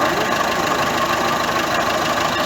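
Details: Ford C-Max 1.6 diesel driven in gear: steady mid-pitched whine over the drive noise, holding constant; worn gearbox differential bearing.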